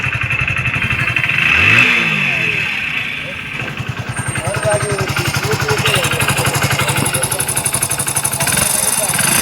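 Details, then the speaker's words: Hero Splendor BS6 single-cylinder bike with loud engine/valve noise, after valve tappet adjustment without opening engine: smooth, even idle with steady quick pulses, no top-end ticking; noise gone, engine healthy. "तो देख सकते हो दोस्तों इसके engine में से जो है आवाज बिल्कुल भी नहीं आ रही है इसका आवाज जो है अभी बिल्कुल बंद हो चुका है"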